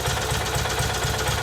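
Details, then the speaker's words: Kohler Magnum M18 from a Cub Cadet 1882, rebuilt, cold on a test stand at about 1,000 rpm idle with 30 psi oil pressure: light even clack; owner suspects crank or cam end play. "idling at about almost a thousand rpm sounds pretty good has a little bit of clackiness to it"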